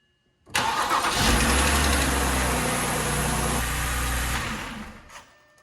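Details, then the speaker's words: BMW 328xi 3.0 after starter replacement: brief crank, catches cleanly and settles into a smooth even idle with no starter grinding; normal start with new starter. "thing sounds good no odd lights on the inside except for I have a headlight out or something"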